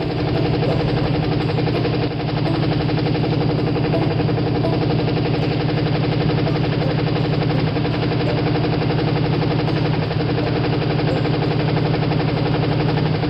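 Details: Carbureted Ford V8 cranked after sitting all winter, a few drips of gas in the carburetor: loud, rough idle with a steady deep rod knock, running on seven cylinders.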